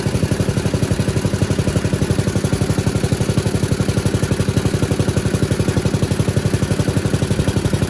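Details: 1977 MTD 990 (badged Dayton, 16 hp) riding mower after electrical no-start repair, running while battery reads 13 V, up from 12, showing it charges: steady, evenly spaced low chugging about three beats a second, no knocks; healthy.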